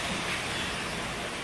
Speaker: hear the air coming out of that hole number two